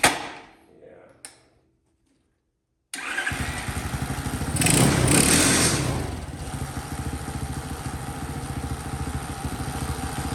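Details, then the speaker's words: Champion mini bike engine after fixing a no-spark fault by swapping ignition parts (12V harness, CDI, coil): it fires, blips, then settles into a quick, steady, even putter; idle may need turning up slightly; normal idle. "that's a nice sound I haven't heard for a while yeah you're taking the plug out of that Gathering yeah nice Dad sounds like the idol might need to be turned up just a little bit"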